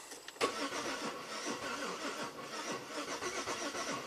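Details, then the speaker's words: 2008 Buick LaCrosse 3.8 V6, about 68,000 miles, stalled and hasn't run in 3 months, whole ignition system and ECM replaced, no DTCs: steady quick cranking with uneven labored beats, never catches; suspected timing problem. "it's really struggling almost like it has a timing problem"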